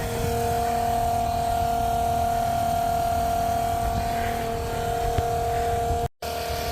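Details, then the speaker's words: Cheap 12 V macerator pump, powered from the car's cigarette lighter, emptying an RV black tank at about 12 gallons per minute: steady, even mid-pitched whir, surprisingly quiet, tearing through toilet paper, no knocking or grinding; normal macerator pump operation. "I'm really amazed at how quiet it is a lot of people said the expensive ones are loud and these cheaper ones run much better and much quieter can hear it tearing through the toilet paper and stuff other stuff"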